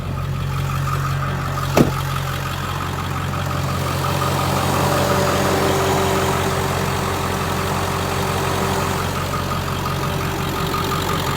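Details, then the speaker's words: 2001 Ford Excursion XLT 7.3L Powerstroke diesel, 4WD, 207k miles, 5" turbo-back exhaust, cold air intake, mild tow tune, recently serviced; warm idle with low, even clatter and steady drone, no misses or knocks, no blow-by; healthy normal idle. "No blow by. Yeah, super cool truck."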